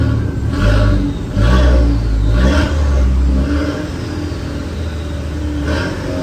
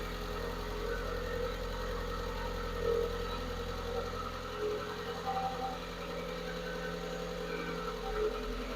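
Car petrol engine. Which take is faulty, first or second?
second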